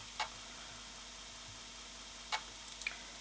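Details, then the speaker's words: Commodore 1541-II floppy drive after cleaning, lubrication and head cleaning, loading a game: a few crisp isolated seek ticks over quiet hiss, no crunching or grinding as heard before servicing. Normal seek ticking. "it's not making as much crunching noise as it did before so that you know that gives a good sign the uh light is blinking view of that so yeah that that sounds much better"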